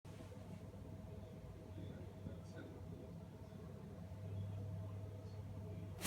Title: bosch MAXX 6 washmachine won't start buzzing